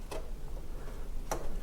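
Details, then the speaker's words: Abandoned Ferrari 348 under restoration, battery lead reconnected: a few sharp, irregular clicks over a low rumble as relays pull in when power returns to the car's electrics; engine cannot be started yet. "I'm hoping when we do this we might hear some kind of noise yes I can hear movement I can hear movement in the car can hear relays"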